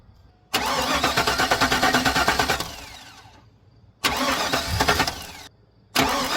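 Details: 1999-2006 Chevy Silverado V8 (4.8/5.3/6.0) after fuel injector replacement, battery reconnected and fuel system bled: several bursts of fast even cranking about three beats a second with pauses, then the engine fires once primed.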